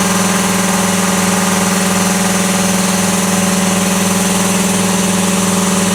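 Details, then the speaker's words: 80-gallon Cobalt air compressor in a vented enclosure with one insulation layer on the doors and side, none in the roof. Loud, steady electric hum with an even pump pulse, no knocks or rattles. Runs normally; insulation barely lowered loudness. "so maybe not much difference about the same distance away as before about the same so is it worth it i don't know i mean it's going to be loud regardless"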